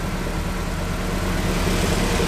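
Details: Lancia Delta race car engine warming up to temperature before a tune: steady even idle, smooth low hum, no knocks or misses.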